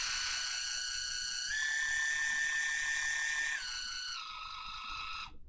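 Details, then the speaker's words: Water flosser motor run on a 3.7 V bench supply with a jumper bypassing the protection board: steady high whine that steps up in pitch as the setting is raised, then drops and stops; motor and board fine, protection board faulty. "you see we have a light here and the motor is turning on"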